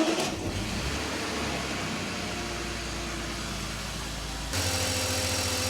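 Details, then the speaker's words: BMW E46 330i M54B30 at idle after the water pump with play was replaced and the failing DISA valve caught: a steady, even idle with the big water-pump rattle and the DISA rattle gone. Better, though not perfect. "okay so this is what the engine sounds like now a lot better I wouldn't say it's perfect but the big rattle coming from the water pump that one is actually gone and the rattle from the diesel valve is entirely gone as well so success"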